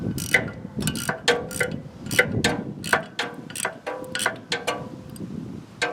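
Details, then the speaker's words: Scotts riding mower after carburetor replacement: sharp crisp clicks in uneven bursts as carburetor fuel solenoid jumps back and forth; normal fuel solenoid clicking. "hear that that's the solenoid jumping back and forth so you know that's working"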